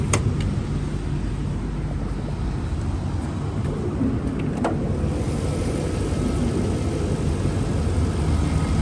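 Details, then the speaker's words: 1997 Jaguar XJ8 V8, idling after start-up: soft, even low rumble with no knocks or misses, very quiet with a barely audible exhaust; normal idle. "engine sounds nice and quiet runs very smooth car has lots of good power for v8 it's very quiet"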